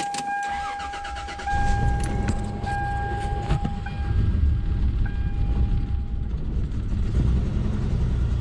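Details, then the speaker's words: Engine rebuilt from the heads up with random misfire codes, just started: idle stumbles unevenly with irregular dips in the low thump; suspected vacuum leak or misfire on one bank, possibly cylinders four, five and six, unconfirmed. "yeah sounds like a vacuum leak misfire on One Bank it sounds like four five and six"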